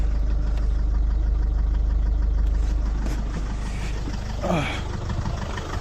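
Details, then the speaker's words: Citroën C8 2.0 HDI diesel at idle, first start after oil change with oil cleaner and hydraulic lifter additive: sharp regular ticking clatter about three per second; suspected hydraulic lifter noise, oil not yet recirculated. "Ça fait un gros bruit de claquement, mais bon, il n'y avait plus d'huile, plus nettoyant d'huile."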